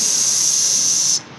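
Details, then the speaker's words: Cooling system pressurised to about 15 psi with an air-powered pressure tester on shop air: a sharp, steady, high hiss of escaping air for about a second, then it cuts off. Air leaking from the cooling system; shaking hoses locates the leak. "you can give the tubes a little shake and see where it squirts or hisses and you can find those little leaks that way"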